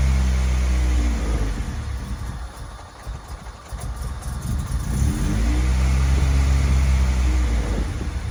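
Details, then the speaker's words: Honda Civic with B20 engine swap, after header and exhaust refit: revs hold then sag and stumble unevenly for a couple of seconds before recovering; idled fine the previous night; cause unclear; rough idle and hesitation. "well unfortunately it still runs like it wasn't idling like this last night"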